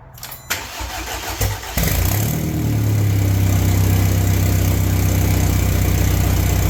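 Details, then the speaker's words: BMW on first start after its second engine rebuild with all new bearings: starter whirs briefly, engine fires right up and settles into a steady, even low idle with no knocks or misses; sounds normal. "all right car started right off uh that was probably the best first start I've ever had that one uh was pretty quick I everything sounds good engine sounds good"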